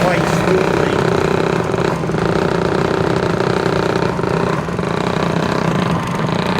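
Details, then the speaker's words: Century ½ hp repulsion-start induction motor (c.1903) driving a 1905 Schantz organ blower: steady motor drone with rough rattly hiss and faint slapping; motor itself runs well, owner believes the blower's outboard bearing is a little bad, slap at a connection. "I believe again the bearing is a little bit bad trying on the outboard bearing for the the blower the motor itself is pretty good"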